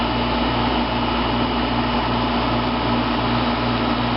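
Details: 1995 Fedders window air conditioner, never serviced or recharged, rarely run, heard from inside while cooling: steady airy fan rush over constant low compressor hum, no rattles or squeals; running normally.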